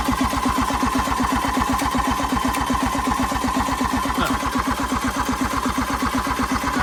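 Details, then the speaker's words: 1986 John Deere 330 diesel garden tractor, glow plugs removed, cracked return line: steady even starter chug about 160 per minute, turning over but never catching; no fuel coming out at the injector lines, injectors not yet bled, battery running low. "a good sign. Yeah. Not good. Yeah. Not getting any fuel out of here."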